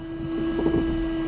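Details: 2001 Ford Fiesta Mk5 with a new replacement washer pump, after topping up the empty reservoir: steady, even electric whine for about a second and a half that cuts off cleanly; pump now spraying normally, fault fixed.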